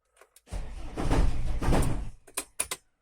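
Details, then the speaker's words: 1996 Mercedes Vito 638 2.3 turbodiesel: heavy low clunking and thudding while cranking, then quick light knocks after it catches, from the flywheel/gearbox area. Knocks only at start, not when driving. Starter bendix and ring gear checked OK. "Стук при заводке. Именно при заводке. Вот сейчас услышите. Со стороны где-то коробки или маховика, или поддона."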